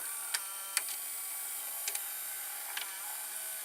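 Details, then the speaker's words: Zenith VRD208 VCR (made by JVC, same mechanism as a JVC HR-D400U) pressing play: faint scattered clicks and soft whir as the tape threads, much quieter than the JVC; normal, healthy tape loading. "Like it's the same mechanism, but listen, the Zenith is much quieter. Like when you press play, you will hear the tape loading."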